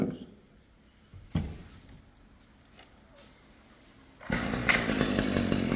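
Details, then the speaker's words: Stihl string trimmer (small two-stroke) after repairing a broken inner drive shaft that stopped the head turning: after quiet clatter it fires and holds a steady, buzzy run with no stumbling. Normal running after the fix. "There we go. Back in action. Simple as that, guys. Check it out. Fixed."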